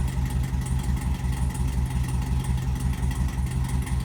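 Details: LS-swapped C10 with 5.3 V8 and Brian Tooley Racing no-springs-required cam freshly installed, first start before tune: deep, choppy, uneven lope about three pulses a second; normal big-cam idle.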